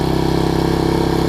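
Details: Troy-Bilt Tuffy rear-tine tiller, 4 hp Briggs single, after fitting replacement carburetor with linkage and spacer, quarter tank of gas: first start runs at a quick, perfectly even pulse with no misses or surging; normal running after repair.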